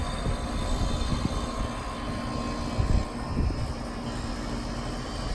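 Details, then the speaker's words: New 2-ton Lennox condenser with a locked-rotor compressor, temporary hard start kit wired in: a few heavy thumps settle into a steady low hum. The seized compressor breaks free and keeps running, though it may still be replaced. "so I am super super super happy because I did not want to have to haul a compressor of those two ladders well probably going to change the oppressor anyway doesn't exactly sound so great"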